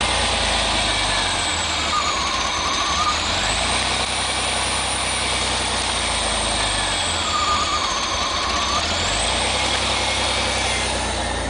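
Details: 1987 Pontiac Fiero GT at cold start: a rough idle hunts between about 1100 and 550 rpm in slow waves, returning to normal after a while. The owner thinks the steady high-pitched hiss is the intake; the cause is not found.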